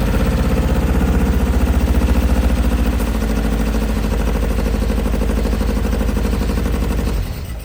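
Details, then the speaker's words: Nova 80s kit supercar running after 25–30 years, thermostat removed so coolant circulates, cooling now working: even, steady idle with a regular lumpy beat, no missing or knocking; engine running smoothly. "It took a little bit of time to sort out the cooling, which definitely needs a lot of reimagining, but it is cooling. It's sounding level, and the engine seems to sound pretty good, especially since 2 days ago"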